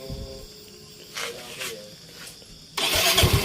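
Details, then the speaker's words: Yamaha Mio 125 scooter with no charging output from a new regulator/rectifier (kiprok), after the wiring fault was found and repaired: regulator plugged in for testing, short crank, then the engine catches cleanly and settles into a steady run; normal start. "di sini kita colokan kiproknya dan kita coba hidupkan jadi hidup"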